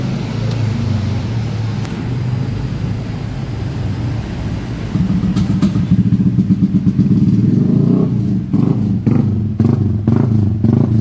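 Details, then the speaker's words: Yamaha Aerox 155 scooter after an electrical failure repair, with the body cable taped; engine check light still to be researched; even idle with clean throttle blips, normal running. "Okay, the only homework here is to research the engine check. And this motorbike can start."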